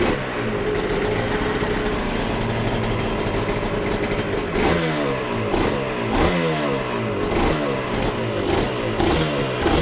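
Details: Yamaha TZR 250 3XV 1990s twin two-stroke, first start after wreck-to-runner rebuild, in neutral: crisp rev bursts dropping to a steady even idle, no knocks or misfires, some smoke; normal, healthy idle.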